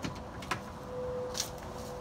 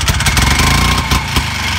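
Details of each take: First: Harley golf cart engine run with no exhaust/muffler attached. It fires up with rapid, sharp cracking pops on every cycle, loud and raw from the open pipe, likened to a .22 pistol. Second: Harley golf cart two-stroke engine, after fitting a small turbo muffler for a quieter exhaust: low, muffled, fairly even idle putter with no rattles; the owner plans to adjust the fuel-oil mix ratio.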